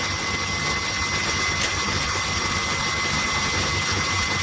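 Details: Refrigeration condensing unit after cleaning its dirty condenser, condenser fans and compressor running, about 40 degrees: steady even hiss and fan rush with constant airflow tone, no knocking or rattle; normal running.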